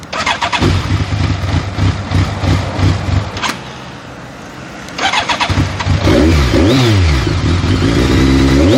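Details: BMW K1200S that won't start without throttle and won't idle when the throttle is released: the starter churns, the engine catches briefly and dies, then fires and runs up unevenly with throttle held; hard starting.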